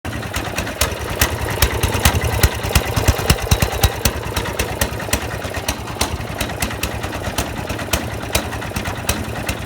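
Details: Snowblower small engine misfiring: sharp irregular pops and skipped beats, about three per second, uneven rhythm.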